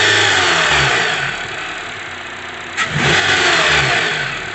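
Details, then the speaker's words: 2012 Honda CR-V with serpentine belt removed: engine revs and settles cleanly, smooth even note, no knocking; noise traced to worn, damaged serpentine belt, not VTC actuator or timing chain. "aquí ya desconectamos todo lo que es la banda ahí solo está trabajando lo que es el motor"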